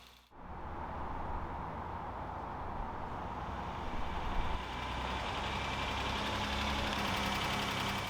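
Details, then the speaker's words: Newly bought old car first running after fuel pump replacement: smooth, quiet idle with a light rapid tick on top, persisting next day; owner hopes it's valve adjustment rather than oiling or bearing issues, unconfirmed. "Unfortunately, as you can probably hear, it has a valve tick."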